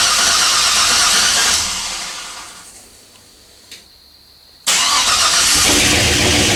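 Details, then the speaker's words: 1984 Chevy K20 with LS swap (5.3 V8), first start, cold: catches and runs rough with a light fast tick over the idle; owner hears lifters clattering, calls it typical 5.3 lifter tick and normal when cold. "there it is it's running it doesn't sound very good right now but you know it's cold i can hear the lifters clattering but that's just normal"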